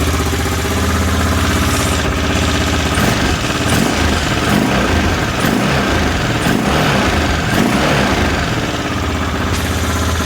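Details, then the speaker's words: Aprilia Pegaso Cube single, second start attempt after new carb inlet rubbers and ultrasonic-cleaned carbs, warming up on choke: steady, even thump, no misses, knocks or rattles; normal idle. "certainly sounds okay to me um B are getting hot are getting hot so it sounds pretty good sounds like it runs as it should I'm quite happy with"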